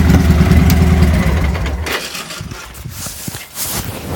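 Lumpy, uneven V-twin idle that stumbles, with irregular pops breaking through the beat instead of a steady rhythm; rough idle, cause unknown.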